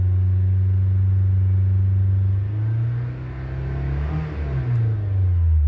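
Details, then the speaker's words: Honda Accord during crank sensor relearn with Foxwell NT510, accelerator held fully down: steady high revs surge and dip repeatedly as the engine bounces off the fuel-cut rev limiter; normal limiter behaviour. "Depress the accelerator fully until the engine goes into fuel cut. There we go. And you can hear it."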